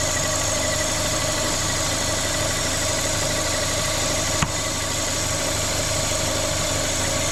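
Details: Corsa VXR idling with its engine replaced a week earlier, bogging on acceleration with the engine light on: loud constant airy hiss over an even idle from a vacuum leak, later traced to a cracked cam cover.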